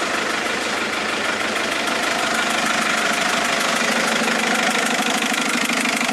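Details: Mercedes A170 diesel after changing 3 injectors: sharp, regular clatter about two knocks a second over harsh diesel rattle at idle, no load change; engine knocking, cause unknown.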